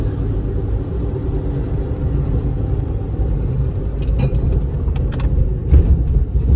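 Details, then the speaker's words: Used 2015 Ford F-450 pickup on a back-road test drive, slowing at low speed: steady low road and engine rumble with no scraping, grinding or pulsing. The brakes work well; the loose bedsides may rattle. "makes work pretty good no grinding no pulsing"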